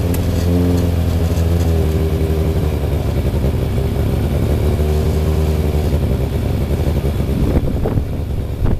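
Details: Freshly rebuilt Thunderace engine at its initial start-up, with water leaks still present: a strong, even note with steady low pulses rises and falls smoothly on throttle blips. No knocks or misses; normal running.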